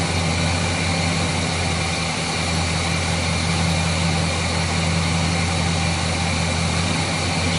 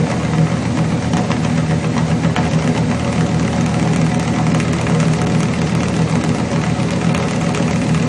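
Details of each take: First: Chevrolet 350 V8 after repair of a failed valley-side intake manifold gasket that had caused oil consumption, rough idle and hesitation; it now idles deep and even with a steady low rumble and no misses, knocks or hissing leaks, a normal idle. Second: Chevrolet 350 V8 with long tube headers, failed valley-side intake manifold gasket causing oil consumption and rough idle; uneven, lumpy idle with missing exhaust pulses; cylinders 4 and 6 weak on power balance test.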